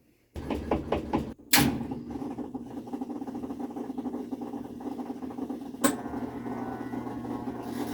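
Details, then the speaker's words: Kenmore washing machine running normally after fixing violent shaking: steady low hum of the water pump, with only a faint occasional knock from the transmission at the back, not a problem. "o caminos pues ese sonido que se escucha ahora está como se llama la bomba de agua que se quería activar y pues el golpeteo que es escuchado poquito es la manera que está atrás así que nada de eso es mucho problema"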